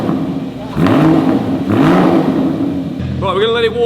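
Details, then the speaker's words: Rebuilt Porsche GT4 track-car project, first start with a new exhaust fitted; catches and gives two clean rising blips, then settles to an even warm-up; deep, crisp exhaust with no knocks or rattles. "There she goes. First start, new exhaust on. I'm praying it sounds good."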